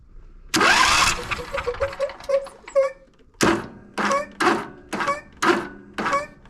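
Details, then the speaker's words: Husqvarna YTH22V46 riding mower twin, starter sometimes only hums after starter, battery and solenoid replaced; cranking with one plug out, turns briefly then jerks and sticks in short bursts. "we got a good turn out of it and then right back to the same right back to the same old stuck way"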